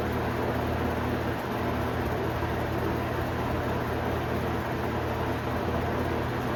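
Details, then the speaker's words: 1991 Robeson 20-inch box fan on high, sitting on a dryer: steady roar with faint buzzing, fan bouncing from a slight blade imbalance; riveted guard and motor brace loosen and vibrate. "see the fan bounce up and down due to a little bit of a balancing problem with the blade."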